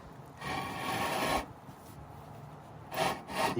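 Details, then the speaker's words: Mercedes Vito W447 front brake, wheel off: two bursts of harsh raspy grinding; pads worn to roughly 3–4 mm, grinding on the rotor. "you can hear it. It's it's really like grinding noise."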